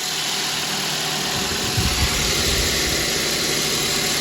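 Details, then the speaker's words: 2012 Mazda 2.0 started after replacing the alternator, whose bouncing voltage regulator lit the red battery light, and refitting the belt: the starter catches and it settles into a steady, even idle with constant belt hum and no chirp. Battery light now off. "There you go. It's running."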